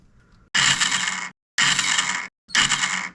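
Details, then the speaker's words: Kawasaki KFX450R ATV, spark plug removed to release compression, side covers off: three bursts of bright gear whir and clatter with no engine catching. The starter drives the reduction and idler gears, but the one-way clutch has failed and slips. "just as I thought the starter is driving the reduction gear driving The Idler gear and then driving the oneway clutch which is failed"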